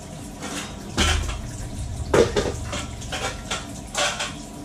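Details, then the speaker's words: Loud irregular banging and clattering in the pipework, first mistaken for a Navien combi boiler, while the kitchen faucet's hot side runs and vibrates hard; water hammer traced to the faucet, which is being replaced. "that's some sure water hammer right there folks uh here we go let's do this let's shut this off here this is the hot and this is vibrating like crazy and almost positive is the faucet"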